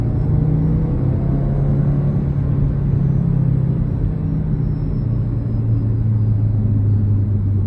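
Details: Audi TT RS, engine warm, heard from cabin: steady low drone with faint tone rising and falling with RPM, intermittent after driving a while, began after bumpy road; sounds electrical, owner wonders short, grounding, fan or turbo; whine source unclear.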